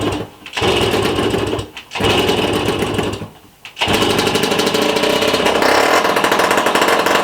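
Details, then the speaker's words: Rusty 1965 Sears Sabre project motorcycle, restarted after the previous coil exploded and a car-size coil was fitted: small single catches, stumbles and dies twice, then fires into a steady, fast, crisp putter; starting and running fine. "She sounds good."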